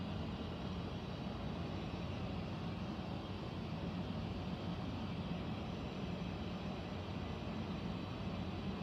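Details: Central air conditioner air handler, apparently above the bedroom closet, making a steady low rumbling air rush with dull hum, no knock; owner questions a possible leak; abnormal noise, cause not confirmed.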